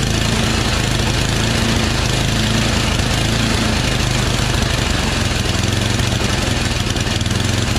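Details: Yard Machines 8HP Tecumseh snowblower with old fuel, full choke and high throttle, no prime: runs rough with speed surging and hunting up and down, likely a clogged carburetor to be replaced with part 632334A.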